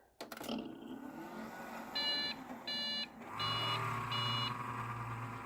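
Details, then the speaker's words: Dell XPS 8500 at power-on with a video card installed: four short, high beeps over a low fan hum, plus a bad fan; the owner suspects a faulty video card or dirty contacts. "Well, actually, no, that wasn't three. It's four. Sounds like a video card problem to me, so go figure, eh?"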